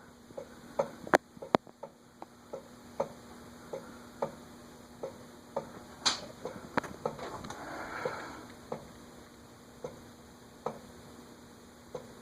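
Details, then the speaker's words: Clicking from a new-in-box Eagle Grand Duchess (Eagle Fan Corp 2811) ceiling fan with retractable blades and a stiff blade mechanism: sharp light clicks about every 0.7 s. Blades extend but won't retract; owner suspects a bearing issue, not confirmed. "Also, it's not, of course, supposed to click like that. That's part of the... I'll have to figure out specifically what is doing that."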